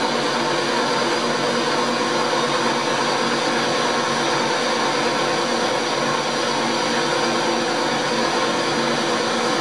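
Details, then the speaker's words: Motor running while a drill bit is sharpened on the stone during worm gear work, bearing cold: steady high whine over hissing; owner attributes it to the motor bearing, saying it whines when cold and may need greasing. "he that wine the bearing in the motor it'ss like that when it's cold probably stop it and start it again and stop winding grease them up"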